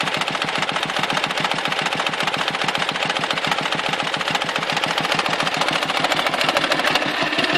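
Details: Dnepr motorcycle engine, 2014 clip: rapid, fairly regular knock, three to four per second, over rough running; when knock appears power drops and carburetor spits fuel, disappears at high revs or before stalling; cause unknown.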